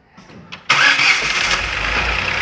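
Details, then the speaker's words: Ford Ka three-cylinder after a rebuild with new pistons, a cleaned pump and timing set: it catches at once and settles into an even, quiet idle with no ticking or knocking. Normal start and idle. "ó, que motorzinho, parecendo um reloginho, galera, sem barulho nenhum, ó."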